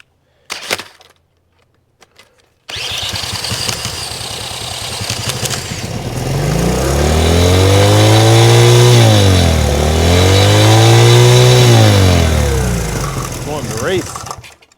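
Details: 1970 Honda CL100 single, about 11,000 miles, first start after freeing its seized engine: catches, revs up and down twice in smooth swells, then sags and dies at about fourteen seconds; won't hold idle.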